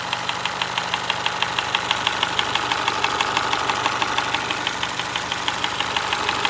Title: Honda HRV 2025 Engine ticking noise Australia #shorts